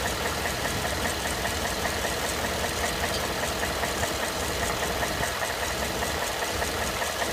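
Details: 2012 Ford F-150 at idle: irregular knock about two or three a second from the passenger side of the engine block, lower end suspected.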